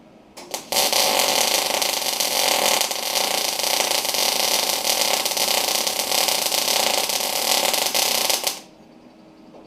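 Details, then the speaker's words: Arc test on a new SIP inverter multi-process MIG welder with 0.8 mm wire from a 5 kg spool: a harsh, irregular crackle for about eight seconds, a rough arc suspected from too much wire or too little voltage, so wire speed is reduced. "it's probably sounds like a little bit possibly a little bit too much wire or too little voltage so I'm going to reduce the wire speed a bit"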